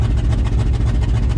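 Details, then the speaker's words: 1994 GMC 3500 with a 454 V8 at idle, smoking and running old gas: a deep rumble with a rapid, even puffing tick from an exhaust leak at the donut joint between the manifold and downpipe. "you can tell she needs something i think that exhaust on it is finally just giving it all up so we need to get that fixed"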